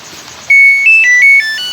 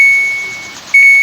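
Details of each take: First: Samsung automatic washing machine with a can't-start control board fault, switched off after failing to start: six clear stepped-pitch electronic beeps, the normal power-off tune. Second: Samsung automatic washing machine that won't start, on test before control board repair; powered on, spin selected, start pressed: single steady high beep, then no motor or water. Washer will not start, control board fault suspected.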